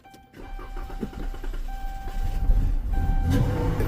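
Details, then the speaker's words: No-start on a house call, after a long crank: steady starter cranking at about four beats a second, then the engine fires and roars only on sprayed throttle body cleaner, so the fuel pump is not delivering fuel; power and ground at the pump still to be checked. "Yep. Y'all know what that means. We got a problem with the fuel pump."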